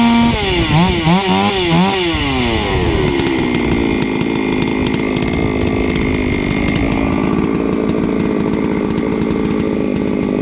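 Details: Three-year-old Huztl-based MS660/066 mill chainsaw, ported 56mm cylinder, after in-field clutch replacement: fires, revs up and down a few times, then settles into steady even high-speed drone with no misfire or stumble.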